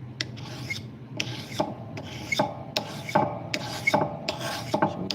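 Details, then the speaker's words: Knife blade sharpened by dragging on a stone with extra pressure: rasping strokes about once a second with a faint high squeak from the rolled-over edge scraping like a scraper; a properly dragged blade does not squeak. "Hear that little squeak? That's from the rollover coming back like a scraper. That's what that squeak is."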